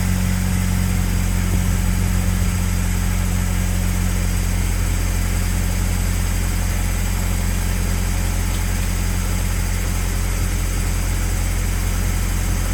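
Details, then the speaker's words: Car after swapping in a used water pump from the old engine to fix a coolant leak, timing belt covers left off: deep even idle, smooth low drone, no ticks, knocks or squeals; no leak, timing good. "All right, so as you see everything is put back together. The car is started. No leakage. Like it was before, not leaking. Timing is good. Everything sounds great."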